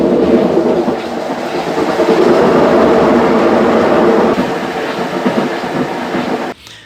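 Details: Consul Maré Super 10 kg washing machine on spin: loud, rough, rattling rumble until cut off, agitator turning only one way; seals replaced.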